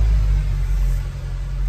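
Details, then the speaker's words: Mercedes-Benz C 63 AMG, M156 naturally aspirated V8 (P31, 487 cv), original exhaust, just started during battery/starter test (10.4, normal): deep steady rumble, even pulses, no rattles. Normal exhaust note. "Escapamento original, hein, pessoal? Teste de arranque 10.4. Normal."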